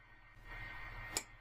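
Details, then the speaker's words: eSun FilaDryer filament dryer box: quiet heater hum, then one crisp click as the internal thermostat regulating the box temperature switches. This is normal cycling. "yeah the temperature inside of the box is regulated by a thermostat"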